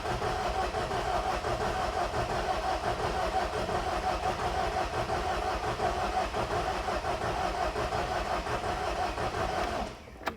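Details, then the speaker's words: 2010 John Deere 320D excavator, John Deere 4024 engine, hard to start cold: sluggish, uneven starter churning about three beats a second with no catch, slowing down, slight smoke. Slow cranking from weak battery. "Okay, so it sounds like my battery's getting pretty dead, so let me put the jump box on it real quick and we'll try it again."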